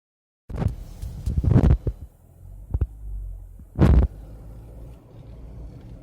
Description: Steering wheel making a clicking / popping sound when returning to center position.